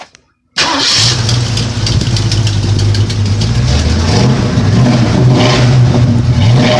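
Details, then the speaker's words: 1977 Ford Mustang II, first start since its rebuild nearly two years earlier, motor finished and cleaned: the V8 catches after a short crank and settles into a strong, even, lumpy idle with a steady low rumble. It runs fine; there is still no fuel pump. "Okay, so we finished up the motor, we cleaned it up and everything, and now it starts right up."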